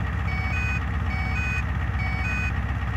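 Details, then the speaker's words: Truck on vegetable-oil system, just switched over from diesel at idle: controller beeps steadily, about four per second, while fuel pump slowly builds pressure below set threshold; beeping stops once above 6 psi operating pressure. "So I'll go ahead and switch this over, and you'll hear it beep while that pump builds up pressure for the first time. So right now it's beeping and that pressure's climbing slowly."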